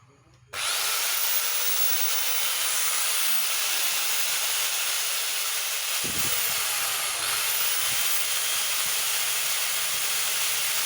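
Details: Makita angle grinder after bearing replacement: steady high-pitched whir holding an even speed with no rattle or grinding; the grinder spins up and runs smoothly, normal running.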